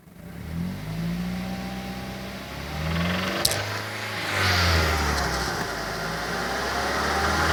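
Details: 2006 Mazda3 s 2.3 revving up and down; a strange sound appears around 3000 rpm, heard better from inside the cabin. An odd whirring rises above the engine near the upper range. Source not identified.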